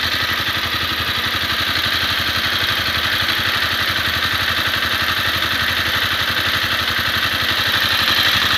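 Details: Honda CBR250R, warm after a 15 km ride: sharp, even ticking near four beats a second over idle, light metallic top-end clatter; owner suspects valve shim or cam chain tensioner, source unconfirmed.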